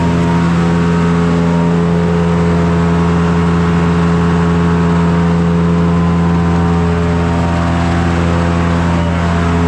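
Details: Forge blower driven by the PTO of a John Deere 2955 tractor, revved up all the way after repairs: smooth, even drone with constant hum as it spins up, no ticking, rubbing or scraping; running healthy.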